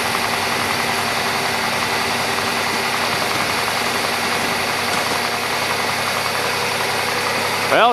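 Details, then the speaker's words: 1993 or 1996 Buick LeSabre, started with a fresh battery outdoors in wind: engine starts well and settles into a steady, even idle, no knocks or stumbles; normal idle. "started pretty good cuz it does have that fuel leak but uh we can give her a try anyway"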